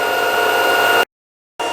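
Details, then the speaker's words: LG washing machine at high spin speed after fixing a knock: the drain hose sagged and hit the cabinet at high rpm. A steady, smooth high whirr with no thumps or knocking; all quiet now. "1.00 оборотов. Кажется, что сейчас взлетит машинка, но никаких звуков нет. Всё шикарно"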